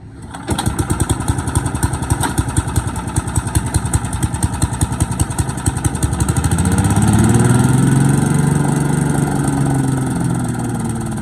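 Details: Boland's 3.5 chipper shredder, stored under a tarp in a backyard for 10 to 20 years, pull-started on choke after reassembly with hopper and tank: small single catches and settles into an even, steady run, revving smoothly without misses or knocks; running healthy, and it shreds.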